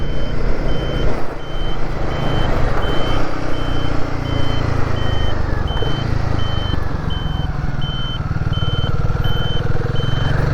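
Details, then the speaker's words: Royal Enfield Guerrilla 450 turning with indicators on, buzzer relocated from under the seat to behind the speedo; clear high beeps a bit over one a second over low engine rumble, audible at low speed; buzzer working normally. "So, the indicators are on. The buzzer is now sounding. I can hear it. I don't suppose you can pick it up."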